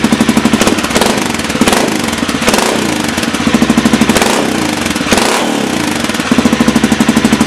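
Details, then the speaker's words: Pegaso single running in the shop with a DG oval KLR 650 exhaust can, custom midpipe and spark arrestor. It has a loud, throaty idle thump with occasional blips; owner thinks it may now run slightly lean. Normal idle. "it's a lot more throy you can tell probably getting a little reverberation here in the shop but it sounds like a beast now"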